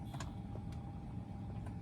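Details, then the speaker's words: Mercedes GL 550 X164 multicontour seat, with a new air compressor unit fitted in the left rear: a faint, steady low pump hum as a seat button fills the bladder with air. Inflation is working normally after the repair. "Probably can't see that too well. It's a little bit hard to see, but basically when you push these button buttons, it either lets out air or it puts air in. Can hear it. So, it's working."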